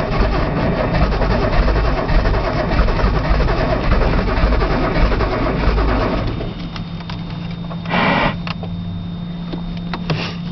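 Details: Nissan Z cranked cold outdoors with brake cleaner as starting fluid: the starter churns steadily for about six seconds, then stops, leaving a faint fuel pump hum; the engine never catches. Cold start valve was unplugged and the solenoid checked.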